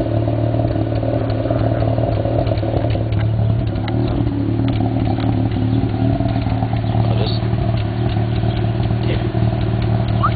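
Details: 1991 Mazda RX-7 (S5) NA street-port rotary with headers and possibly Racing Beat cat-back: lumpy idle with scattered sharp exhaust pops and crackles; afterburn at idle, owner doubts vacuum leak, cause unknown.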